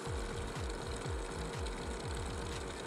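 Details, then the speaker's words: PC water-cooling pump making a steady mid-pitched hum with an uneven low chugging rattle about twice a second; the owner thinks the pump is starting to fail, though the flow meter still spins fast. Noisy pump, cause suspected. "you hear that humming noise that's my pump and i think it's starting to go out"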